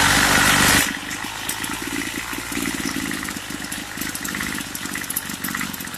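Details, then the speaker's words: Craftsman two-stroke weed eater idling unevenly, buzzing beat wavering and stumbling and cutting off; sounds fuel-starved, so idle raised and low-speed screw turned up about an eighth turn; rough running, lean mixture suspected. "Okay, it is cutting off. So it's probably, I need to adjust that idle. See what happens. Let me fly right here. And I'm increasing the idle. Sounds like it's not getting enough fuel."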